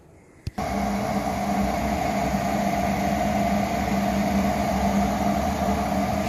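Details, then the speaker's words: Garage furnace that only hummed loudly with blower not starting, after replacing the blower motor; brief click then steady even whoosh and blower hum, no rattle: normal running. "oh yeah it's a lot better there's a lot better"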